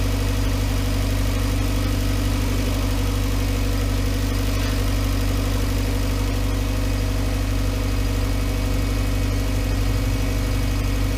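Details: Volkswagen Voyage with EA111 engine: smooth, steady idle with an even low hum and no knocking, ticking or rattle.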